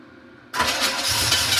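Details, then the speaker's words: 1986 Camaro Z28 350 small-block V8 run briefly without coolant: catches right away, runs steady and even with no misses or knocks, some exhaust and choke smoke; fuel line dripping fuel. "Sounds pretty good."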